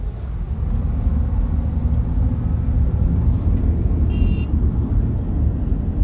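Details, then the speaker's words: Honda CR-V driving on a plain road after a front suspension overhaul and alignment, which fixed a clunking over bumps. Steady low tyre and road rumble with no knocks, clunks or rattles; the suspension is quiet and ride quality is much improved. "कोई भी आवाज नहीं है suspension में and इसका ride quality है वो भी काफी ज्यादा इंप्रूव हो चुका है"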